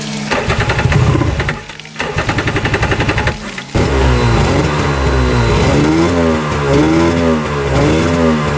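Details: 1995 Tigershark jet ski that had not run in 20 years, running on flush water from a hose without choke: rough sputters settle into a steady two-stroke buzz with small rev swells; running normally.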